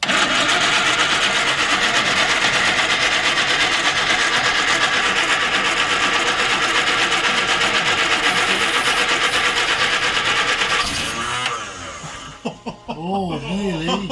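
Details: Long-parked Morris Minor van, battery at 11.86 V, leisure battery and Easy Start used, steady cranking about three turns per second for eleven seconds, never fires; cranks but won't start.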